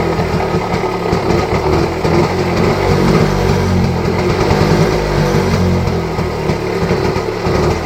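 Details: Rajdoot 175 two-stroke motorcycle, picked up for restoration, cold start: loud busy crackle holding a fairly steady pace; engine fires and keeps running after cold start.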